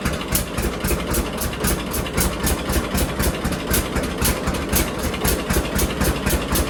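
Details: John Deere D two-cylinder tractor after cleaning and gapping spark plugs to 0.030 in to fix a misfire: even pop at about two beats a second, no skipped beats, steady low chug at idle; no longer missing.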